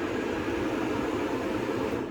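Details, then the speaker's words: 2009 Lincoln Town Car, blower heard with the key off and a jumper across relay terminals 30 and 87: steady full-speed roar; shorted blower speed controller at the back of the engine, not the climate control unit. "now I can say that the speed controller is what is faulty and it's not the climate control unit"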